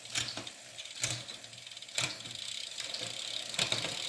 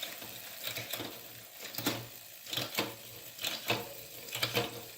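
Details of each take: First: Fuji SL Limited road bike with Shimano Ultegra Di2 12-speed, rear derailleur just indexed (five upshifts), limits not yet set: crisp clicks about once a second as the chain steps cleanly across each sprocket to highest gear and back; normal shifting. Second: Fuji SL Limited road bike, Shimano Ultegra Di2 12-speed, testing freshly indexed rear shifting: rhythmic swishing scrape about once a second following wheel rotation, brake rubbing, separate from the chain.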